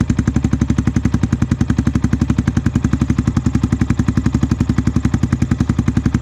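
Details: Yamaha WR125R on a cold day, after swapping the stock exhaust for a Black Widow stainless system with no catalytic converter and the baffle still in: an even, deep single-cylinder thump at steady idle, about eight pulses a second with no misses; aftermarket exhaust note.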